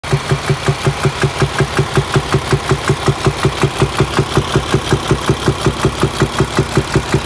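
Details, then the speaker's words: Paccar diesel truck built January 2019, within the late-2017 to August-2019 defective-cam range (E265 service bulletin); even metallic knock about 160 a minute over the idle: wiped camshaft. "they were putting defective cams in these trucks and I have just Fallen victim to that issue uh yeah you'll hear it there that cam is toast um wiped out as they say"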